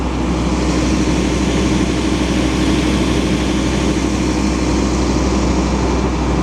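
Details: Powerscreen Premiertrak 400X jaw crusher, unrun for months, during inspection: deep steady drone with even hum, no banging or thumps; jaw running smoothly.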